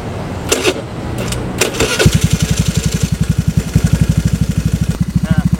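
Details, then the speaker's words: Carbureted Vario 110 scooter fitted with an R-One standard racing exhaust, idling after a couple of blips. A fast, even ticking at about eleven per second rides over the idle. Top-end clatter; cause suspected, not confirmed. "eh motor gua sekarang lagi ngeletek ya suaranya jadi e pasti bakal kedengaran sih suara ngeleteknya"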